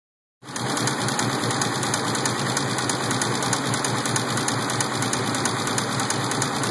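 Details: Engine idles steadily with a rapid, regular ticking knock, about three per second, apparently from the bottom end; rod knock suspected, not confirmed.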